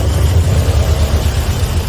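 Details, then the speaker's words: Toyota Vios 1NZ engine before repair, idling with the A/C on: deep, lumpy, irregular stumbling pulses and heavy shaking from a misfire, no warning lights on the dash. "เงียบนิ่งแต่ได้ยินเสียงสะดุดตันหยุดๆๆนะจุ๊บๆไม่เห็นภาพว่าเดี๋ยวเราเจอ[เพลง]ครับตอนนี้เราเปิดแอร์อยู่เครื่องยนต์จะสั่นมากนะครับ"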